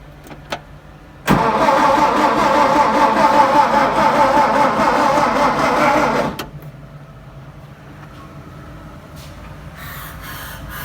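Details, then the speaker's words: 1959 VW Beetle, sitting about 45 years, no muffler, distributor needing work: about five seconds of steady cranking, never catches, then stops; carburetor found clogged, fuel starvation. "Carburador no sirve. It's plugged up. Yeah, carburetor is clogged."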